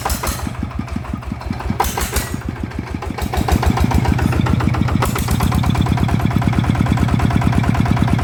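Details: Type 160 single-cylinder engine that was burning oil, after rebuild/repair: catches and settles into a steady, even thump about three beats a second, no knocks or misfires; runs normally with good power.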